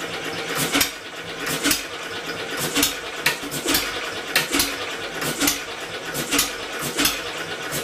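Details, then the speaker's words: Homemade double-expansion 4-cycle engine converted from a two-cylinder air compressor, first run with electric motor assist, magnet moved closer to the sensor. Slow uneven chuffing, about one firing a second, never self-sustains. Owner suspects the flywheel (original pulley) is too light; exhaust barely warm, cylinders equal temperature. "trying to wean it off the motor going slip the B I can well that's all for that couldn't quite pull itself over close but no cigar at least we have a semi Runner"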